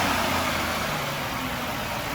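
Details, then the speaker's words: 2006 Ford Freestyle at city auction, hood up, started right up on a jump box; steady even idle hum with no knocks, ticks or misses; sounds pretty good, healthy idle. "Got the jump box hooked up to it. Started right up with a jump."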